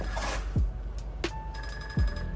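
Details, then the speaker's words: 2022 Icebear Maddog Gen V scooter after converting from a vacuum pump to an electric fuel pump kit with a diode, engine off: short falling chirps about every 0.7 s at switch-on, normal fuel pump priming. "rolling wrench they got this diode in to where they think it's pretty good and then on the videos it makes like this chirping noise when you turn it on"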